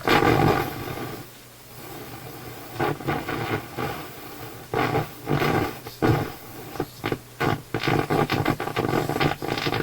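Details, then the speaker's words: Philips console stereo receiver on FM: harsh, raspy audio rising and falling in rough bursts; AM sounds fine; suspected improperly biased vacuum tube rather than IF problem, treble control oddly affects it; distorted output. "But that really sounds like an improperly biased vacuum tube to me. It does not sound like an IF problem to me."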